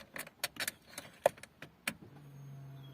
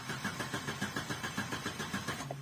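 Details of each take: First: Opel Corsa Z14XEP with a crank-no-start and check engine light: key clicks, then a low steady electric hum for about 1.5 seconds as the fuel pump primes; pump now runs. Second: Opel Corsa Z14XEP with check engine light on: steady starter cranking about six compression pulses a second, never firing; crank-no-start, diagnosed as fuel supply failure rather than the coil pack.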